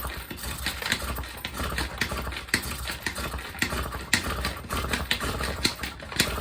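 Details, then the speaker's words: Honda Express NC50 50cc on a cold day: repeated cranking chugs about twice a second that never catch; flooded with too much starting fluid. The spark plug is wet, and spark is confirmed. "Oh yeah, I think it's flooded. Probably sprayed a little bit too much. Spark plug's all wet."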